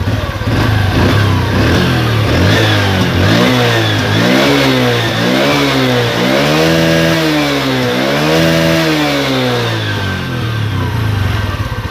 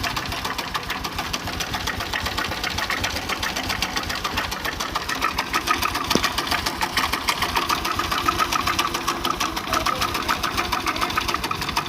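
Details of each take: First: Honda Revo Absolute motorcycle after repair of rattling (worn piston, cam chain tensioner): clean blips from idle up and back several times, pitch rising and falling smoothly with no rattle or ticking; normal revving. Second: Honda Revo Absolute idling with cover open: fast, uneven metallic clatter about three per second as the visibly very slack cam chain slaps its guides; loose cam chain rattle, piston also suspected, before overhaul.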